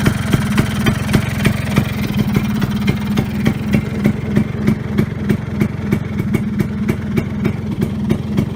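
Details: Vespa Sprint Veloce two-stroke scooter on its first start after a wiring harness repair; steady putter at about three pops a second, even and unbroken. Normal idle.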